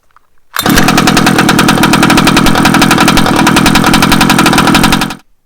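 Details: 1/5-scale petrol two-stroke Baja RC car, after sanding the spark plug, spark-testing it and refitting it: one pull-start, then a crisp, buzzy two-stroke note held steady for about four seconds before cutting; it fires and runs cleanly.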